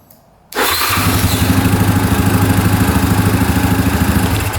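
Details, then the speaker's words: 2009 Yamaha Grizzly 550 EFI ATV, warm restart after repair: fuel pump audible, then the engine catches instantly and settles into a steady even single-cylinder idle pulse. Normal start and idle. "Just make sure it fires right back up. You can hear the fuel pump going."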